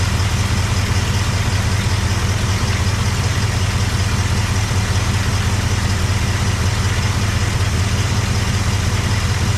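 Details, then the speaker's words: Cadillac 390 V8 with a swapped-in Edelbrock carb replacing the 4GC, glitter found in engine oil: even, deep idle rumble, no knocks, misses or hunting; oil pressure about 20–27, oil looks terrible; normal idle. "it sounds [Music] good it doesn't sound bad at all but that oil looks terrible"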